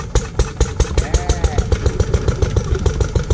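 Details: Lister D petrol single-cylinder engine on trolley with Aerograph air compressor, first start after restoration and 20+ years unused; slow even thuds about 3.5 firings per second, sounds healthy, normal running.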